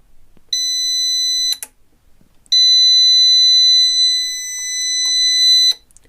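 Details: Intex UPS, cover removed, pressed on: steady high-pitched warning tone that keeps sounding at power-up, attributed to shorted output MOSFETs.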